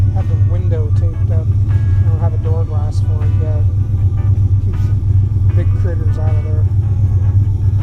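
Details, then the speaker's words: 1976 Ford F100 short bed with 460 V8, sat for years, now pumping fresh fuel into the carb (not removed): deep, slightly lumpy rumble idling on its own, better than last time it was moved. "so it's actually idling on its own it's more than it did last time i moved it"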